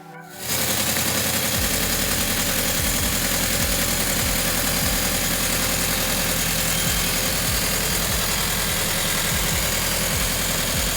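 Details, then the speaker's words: Toyota GR86 just after installing GJP IO Box flex fuel and oil pressure kit, first start, cold, checking for leaks: fires quickly into an even steady idle, regular pulse, no knock, music behind. "So we're basically just gonna let the car warm up, get up the temperature, make sure there's no leaks, and take it for a drive, and keep you guys posted."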